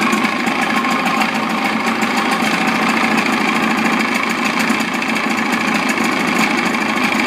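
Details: Old Evinrude 55 outboard idling in neutral in a water-filled container after throttle cable adjustment: fast, even buzzing idle with steady firing rattle and no missing beats; normal.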